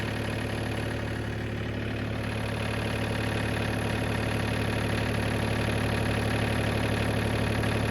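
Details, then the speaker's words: John Deere 3033R diesel tractor after water in the fuel was cleared by flushing the spin-on filter: a steady, even clatter with no misses; a normal diesel idle, running again. "So, yep, we got her running again."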